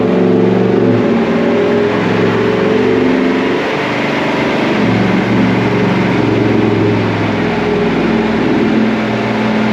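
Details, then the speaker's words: 2017 Cadillac Escalade 6.2 LT V8 with BTR cam, DOD delete and Corsa exhaust, first startup and startup tune, warming oil: loud deep exhaust drone then moderate rev with choppy cammed lope, no knocks; normal revving. "She sounds real good. Corsa sure does make a nice exhaust system."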